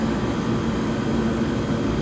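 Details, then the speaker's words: 1978 Comfort-Aire Quietmaster 29,000 BTU air conditioner on high: steady even low hum with no knocks, clatter or surging; discharge line very hot, suction line returning sweaty, compressor working as it should. "That means this compressor is really working the way it should be. Suction line is going back sweaty."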